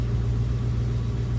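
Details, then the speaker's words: 1966 Ford Mustang Convertible idling about 90 seconds after cold start, temp gauge already moving, warming before a test drive; deep, even low rumble with smooth steady beat, no knocks or misses: normal warm idle. "all right temp gauge is already moving been running about 90 seconds getting it going we're almost there"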